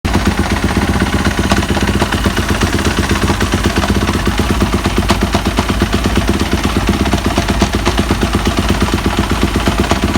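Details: 2015 Yamaha YZ250F single-cylinder engine running with a rapid, uneven clattering rattle over its pulse; owner unsure of the cause.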